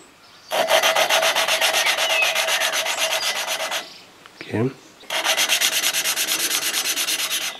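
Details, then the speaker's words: Briggs & Stratton 15.5HP Intek OHV engine from a Husqvarna YTH150 ride-on mower, valve lapping by hand on the second finer compound (finishing pass) after head gasket failure: gritty, coarse back-and-forth rasping at about three strokes a second, seat not yet mated. "je remets la soupape à ces places et dans l'est reparti pour un tour même principe on frotte comme ça jusqu'à ce que le bruit change et on tourne d'un quart de tour"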